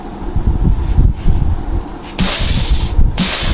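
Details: Holden Commodore Trimatic TH180/3L30 automatic transmission being rebuilt, air test via test plate: short air hiss bursts as second, third, reverse clutch and servo passages pressurise, then steady hold without leak-down; clutches and servo apply properly.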